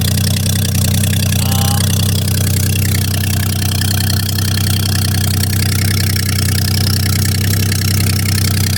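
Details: 1982 AMC Concord with broken exhaust pipe ripped from rotted hanger: loud, rough idle with raspy low chuff in time with firing and no muffling; exhaust leak up front.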